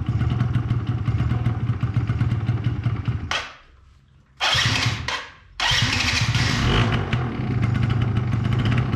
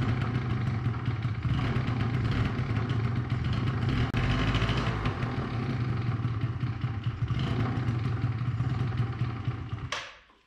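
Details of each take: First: 2005 Yamaha Zuma YW50 two-stroke scooter: catches and buzzes, drops out twice into near silence, then refires roughly; hard starting, won't stay running; secondary ignition coil later measured bad (8.52 vs 2.9 kilo-ohms). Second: 2005 Yamaha Zuma YW50 two-stroke scooter after replacing bad ignition coil: catches and runs with a fast, slightly uneven rattle about ten seconds, then cuts off; sounds healthy, normal running.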